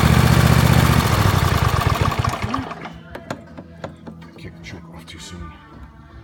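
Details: Engine started after an oil change with 10W30 synthetic and an oversized filter, plugs back in, low on fuel; it fires with a quick regular beat, then falters and dies within a couple of seconds because the choke came off too soon on a cold start.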